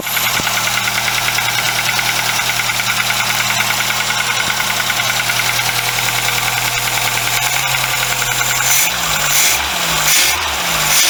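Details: VW Golf Mk2 carbureted engine, cold start days after cylinder head gasket job: steady, even idle with a low drone, later blipped, no knocks or misses; known broken Pierburg wax stat, crankshaft seal oil leak and choke-pipe coolant leak.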